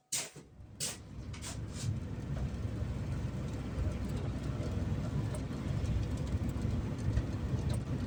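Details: Ford Transit MK7 2007 2.2 TDCi diesel, after new injectors were fitted and lines bled: cranks with a couple of sharp bursts, then settles into a lumpy low rumble that never smooths out; rough idle persists, cause unconfirmed.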